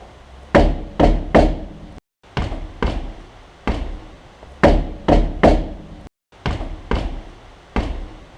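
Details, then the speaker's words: Caravan or trailer wheel shaken by hand with no tools, wheel still fitted, bearing not yet redone: irregular bursts of sharp metallic knocks and slight play, a metal-on-metal rattle indicating a loose wheel bearing. "hear that that metal sound where it's like metal hitting the hitting metal grab hold of the wheel and give it a good shake i'll hear that you'll feel it too there is a tiny bit of movement in that wheel and there's a tiny little metal on metal rattle that's indicative of a loose bearing"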